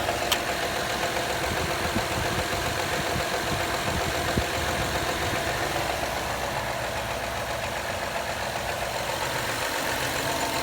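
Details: 2013 Honda Accord EX-L V6 at a cold idle with a rough, uneven clatter of about two or three beats a second; it sounds knock-like, occurs every cold-weather warm-up, and the source is unknown.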